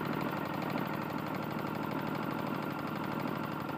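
Small engine running steady with a dull, uneven knock under the exhaust note, about eighty a minute; that points to a worn connecting rod.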